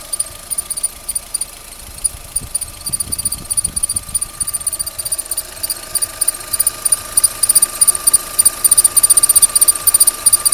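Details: Opel Z16XEP engine at idle; thin steady high-pitched whistle over a ticking idle; owner can't tell why it whistles: belt squeal, cause unclear.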